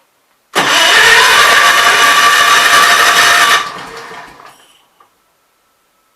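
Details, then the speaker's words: Kohler K241 single-cylinder engine, owner thinks off a Gravely 810/8102, on a workbench at idle with gasoline poured in: small single fires, runs ragged about three seconds, then fades and dies; running lean from fuel starvation, believed fixed main jet carburetor. "i'd say it's just not getting enough fuel so it's just not getting enough fuel guys and this is i believe a fixed main jet carburetor"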